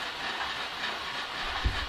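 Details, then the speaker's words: Omega Super Charger compressor during startup setup, secondary pressure needle set below 2000 psi: continuous hissing vent over the running compressor with a thump near the end, like a washing machine; purge timers set very short for testing. "so to give you an idea of what this sounds like it sounds like a washing okay machine our vent so they've got these set real low just for testing apparently"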